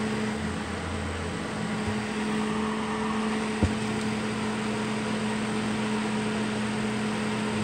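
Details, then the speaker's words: Duracraft (Honeywell) Heat Furnace Plus CZ-1200 space heater that had smoked. The fan motor's bushing retainer had popped off, misaligning the armature. After the fix, a steady even hum with a clean low tone and no rubbing or ticking; fan motor runs normally. "so that's all it was the retainer that held that bushing Center popped off so the armature wasn't sitting straight in the motor"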